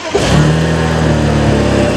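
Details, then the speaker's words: Abandoned BMW 335i, N54 engine with upgraded 19T turbos, just after start-up. Loud, lumpy, uneven idle, running really rough, with loud turbo noises. Smoke puffs out the back and it appears to be burning oil; the alternator was later found not charging. "it's running really rough dude dude the bunch of smoke just came out the back did it it's got some loud turbo noises I like that that's kind of cool"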